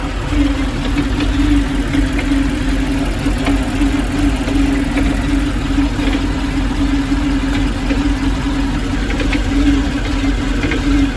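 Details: Chevrolet Malibu petrol engine at idle: steady idle with an uneven, lumpy beat and slight wavering note; rough idle.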